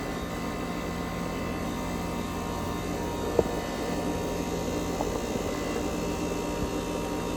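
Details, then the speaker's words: New 2024 Goodman condenser for upstairs, cool mode, after a tripped high-pressure switch and locked-up condenser coil were repaired: steady even hum, constant fan whoosh, one brief click midway; normal running. "listen to that AC run now this unit controls the upstairs and I bet che's pulling a lot of heat from upstairs"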